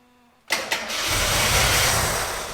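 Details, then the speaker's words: Gilbern Invader Mk3 one-owner barn find: two quick cranking bursts, then catches and roars about two seconds before fading; fuel pump thought to be pulling in air, starving engine of fuel. Fuel starvation. "yeah it's drawing air from that and it's not getting enough fuel to keep it going very very close"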